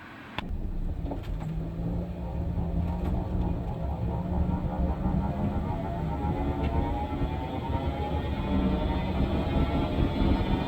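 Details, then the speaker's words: 2017 Nissan Rogue driving on the road: constant high-pitched whine from the rear end, rising with road speed over road rumble and easing as it slows, never stopping; worn rear differential coupling, which gets replaced. "but you hear that sound sounds like that all the time just a high pitch whining noise never stops you know it just gets less as you're slowing down"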